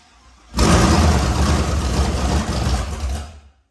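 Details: LS V8 swapped into an S197, rebuilt with new bearings, first start with no coolant yet. After catching it settles into a deep, even, cam-lumpy burble with no knocks or ticks as the engine learns to idle; it sounds healthy.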